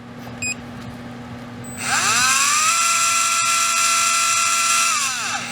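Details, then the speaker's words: REDS Racing VX4 Pro Stock 17.5T brushless motor, factory setting on auto test: spins up to a clean, steady high whine and winds down smoothly, fairly quiet; 1.5 A, 2695 kV, 19.7° timing. "Fairly quiet. Alright, 1.5 amps, 2695 kV, 19.7 degrees of timing."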